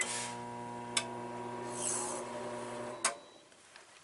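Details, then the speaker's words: Brand-new Nexus RV with AIMS 3000 W inverter (transfer switch and charger unused, shore power unplugged): microwave hums about two seconds, then a click and silence as the overloaded inverter trips into fault and must be reset. "sets it shuts off about two seconds the burner has tripped the inverter"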